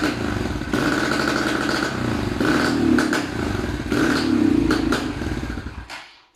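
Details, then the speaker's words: Racer small motorcycle with owner complaint of hesitation and black smoke soot: engine runs unevenly and sputters through blips; carburetor fault, loose main jet in dirty carburetor, also worn spark plug and ignition checked. "здесь человек пригнал его сказал что есть провал и черный дым копоть"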